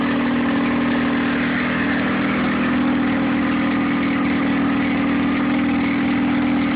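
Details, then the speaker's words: Nissan 9.8 outboard, first start on a cold day with the choke on, water semi-warm, started on the third pull: steady low idle with a slightly uneven beat, a little rough and low; owner unsure if it's not warmed up or the off-idle needs adjusting. "Seems to be idling a little low right out of the box. I'd assume it's warmed up by now. The water's semi-warm."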